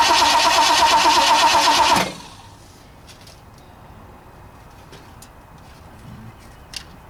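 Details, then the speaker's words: 1960 Ford F100, 351 Windsor V8 unrun for decades, fuel fed into the carburetor: the starter cranks in an even chug for about two seconds with no firing; the ignition hot wire had come disconnected. "Oh, my hot wire got disconnected. It's not firing anymore."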